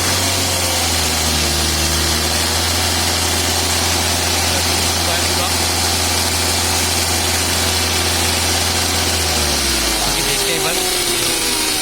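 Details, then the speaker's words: Maruti Suzuki Ritz diesel on a flat battery, battery warning and check engine lights on: harsh gritty rattle and hiss from the front accessory area, then winding down; alternator not charging, bearing broken internally; alternator bearing failure. "तो गाइस ये साउंड सुना के जो अल्टरनेटर है proper work नहीं कर रहा है। इसकी जो बैरिंग वगैरह अंदर कोई सिस्टम है पूरा टूट चुका है।"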